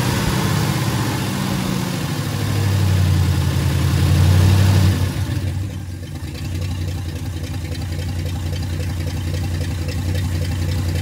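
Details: Freshly rebuilt carbureted "Frankenstein" truck engine after moving the idle control forward: it revs higher for a few seconds, then drops and holds a low, steady, even idle with no miss or hunting. The high-idle fix worked.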